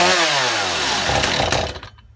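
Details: Stihl MS250 chainsaw, restarted with the tank vent line off to rule out the vent: revs, then sags and dies within two seconds instead of holding speed. A fuel-starved bog that backing out the mixture screws only slightly helped.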